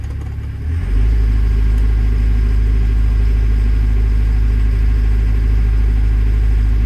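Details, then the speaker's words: Develon DX62 four-cylinder diesel digger that wouldn't start, fuel filters fairly clean, debris in metering unit, rail pressure erratic: heavy low rumble with uneven pulse and vibration; misfire, mechanic suspects damaged injectors, not confirmed. "There's definitely a misfire because I'm getting like a vibration. I think it wants a set of injectors."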